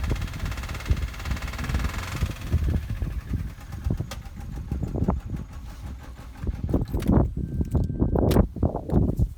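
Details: 2005 Vauxhall Corsa C 1.2 petrol Twinport SXi: uneven idle with irregular sharp pops, misfire persisting after new coil pack and spark plugs; codes P0300, P0303, P0304; cause unknown to owner.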